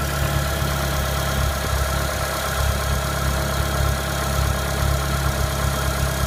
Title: Clio 197 Strange Engine Noise Cold